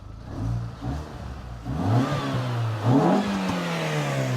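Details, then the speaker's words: 200,000-mile Mini Cooper with an aftermarket air intake and a new radiator, coolant at 84 °C, fan not yet on: it blips and rises smoothly to a loud, clean intake roar with no knocks, healthy revving. "This car with the air intake, it sounds nuts."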